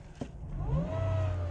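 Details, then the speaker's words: Dodge Caliber CVT, 179,000 miles, codes P0741/P0777: thin whine climbing in pitch with revs even in neutral, car barely pulling; whine suspected from inside the CVT transmission, not confirmed. "i hear that wine all i'm doing is revving up on the car"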